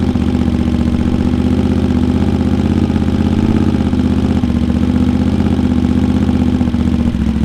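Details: Honda GL650 at its first start after a full rewire: smooth, even V-twin lope at steady idle with a deep exhaust note and no knocks or misses. Crossover headers run into a merge and Cone Engineering muffler. Normal idle.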